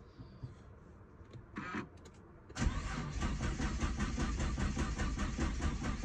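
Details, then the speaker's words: Nissan GT-R R35 with code P1220 (fuel pump module), after confirming the pump runs on direct power, with the battery a little low: a few faint clicks, then laboured uneven cranking that never fires; slow crank no start from a weak battery. "I'm gonna try to start the car. My battery is a little bit low. Probably I'm gonna get jumper, but let's see."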